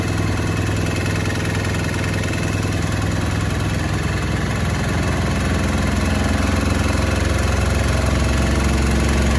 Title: Beko UNBALANCED & NOISY final spin